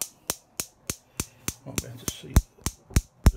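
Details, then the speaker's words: Neff gas hob, burners off, power switched on at the wall: sharp, even igniter spark clicks about three a second that never stop. The igniters are firing continuously, and cleaning them is the fix. "the spark just keeps happening and happening"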